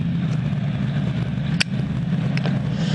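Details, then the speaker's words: 18HP Noma lawn tractor twin-cylinder engine, which still has an unresolved starting/wiring fault: a steady, even low rumble with no knocks, misses or surging, so it runs smooth and healthy. "but it seems to be quite a runner and uh i think it's gonna be just a dandy"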